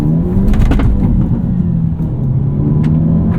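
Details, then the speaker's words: 2022 Hyundai Elantra N, 2.0 L turbo four, 6-speed manual, binaural in-cabin mics: engine rumble under hard throttle with quick thuds as the wheels hop over a bumpy road. Driver says it sounded like engine on frame; a mount upgrade is possibly needed. "You do have to be careful with wheel hop over bumpy roads. There is quite a bit of wheel hopping. That sounded like engine on frame right there."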